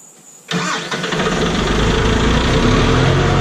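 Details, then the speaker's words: John Deere 5065E tractor diesel, cold start just after replacing the starter and solenoid: silence, then a brief crank and it catches on the first turn, settling into a steady, even idle; normal cold start. "well with that first turn cold"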